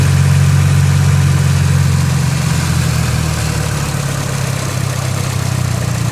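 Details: Nissan SR20DET: idle wavers and sags with an irregular beat underneath, seemingly misfiring at idle; owner suspects the idle control valve, and notes slow pulling in 1st gear until about 25 mph, then a big kick.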